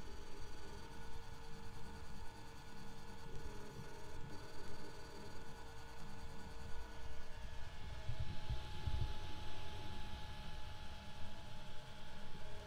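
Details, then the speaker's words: FLSUN Q5 delta 3D printer while printing: steady layered motor hum with faint whining tones and slight shuddering from the stepper motors; the fan is loudest, then the extruder; normal printing noise. "so the loudest thing on here is this fan you can also hear these motors going a little bit and the second loudest thing is probably the extruder"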